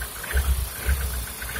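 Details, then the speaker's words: Engine checked cold from the alternator side: low, uneven thudding knocks, a few per second, under rough cold idle; owner suspects valves or connecting rod, source not yet found. "зная то ли сомнения у меня дули что ну походу что-то у меня стучит там двигатель проверим на холодном как"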